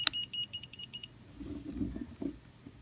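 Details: Removu K1 gimbal switching off: a click, then six short even high beeps in about one second, followed by quiet handling; normal power-off beep sequence.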